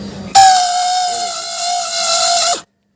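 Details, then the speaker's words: SS 125cc motorcycle electric starter: a high, steady whine for about two seconds while the starter spins. The starter's internal bushing is worn and has play; the fix was replacing the whole starter motor. "इसमें क्या होता अंदर का बुचिंग वो खराब हो जाता है। फिर प्ले आ जाता है। इसलिए इसका स्टार्टर का साउंड चालू हो जाता है। ये साउंड नहीं आना चाहिए था।"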